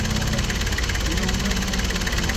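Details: Nissan Urvan TD27 diesel, former school service van, after replacing the engine and transmission supports that caused vibration: even clatter at steady idle, no lumpy shake or banging; sitting smoothly on its mounts.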